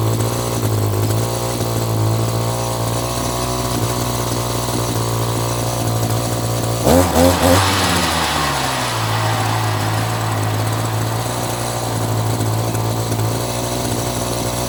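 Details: Echo GT2 200i string trimmer, two-stroke, running after carburetor screw adjustment, choke off: even buzz takes a quick throttle blip and settles back without stumbling or dying; running properly, carb may need slight tweaking.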